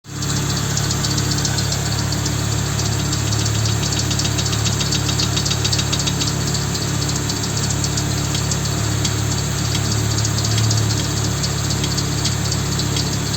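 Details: Volvo 850 engine at steady idle: a light, fairly regular ticking knock riding on top, about three or four a second. Source undetermined.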